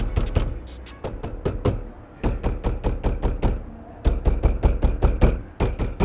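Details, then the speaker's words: Porsche (Macan/911 type) door card tapped by hand near the speaker: buzzy, loose rattle trailing each knock; something inside the door card is loose, suspected near the speaker, to be checked with the door card off. "right as you can probably hear there's a definite rattle near the speaker there um so obviously there's something going on in there"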